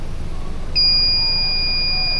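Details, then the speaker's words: Full economy lead-acid battery, just over 12 volts, on a 300 amp load test holding just under 11 volts: a steady high-pitched tone over a low hum, the tester's time-limit alarm for holding the load too long. "There's my taking too long alarm. Give it some more juice. We're still holding."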